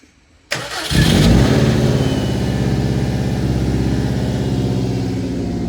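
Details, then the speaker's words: 2005 Subaru WRX wagon with STI VF48 turbo, ID1050 injectors, intercooler, Cobb intake, TGV deletes, high-flow cat downpipe, first start after new tune flash: brief crank, quick catch and flare, settling into steady even idle in warm-up state; normal cold start. "so it's currently in a warm-up State it's going to switch over here in a minute to like a the normal closed loop"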